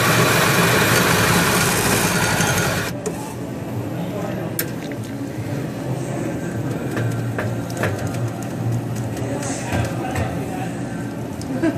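A rough grinding rush gives way to a low motor whir with uneven clicking from the brew unit. Cause suspected, not confirmed.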